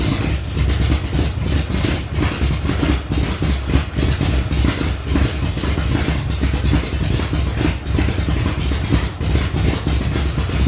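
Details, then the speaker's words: 1975 Datsun 280Z, swapped 358 small-block Chevy V8 on Megasquirt 3X, first start in over 4 years after wiring fixes: deep, loud, lumpy burble at steady idle with even firing pulses, rich with loud exhaust; normal idle. "yes yes I did it the Dotson finally runs Hallelujah"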